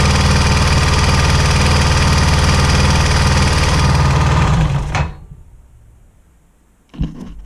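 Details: Honda XR400 single, cold start at -5°C: fast even top-end clatter, about four per second, that nearly fades once warm; timing chain suspected, automatic tensioner looks fine but tension releases, mechanical tensioner to be fitted; cause unconfirmed.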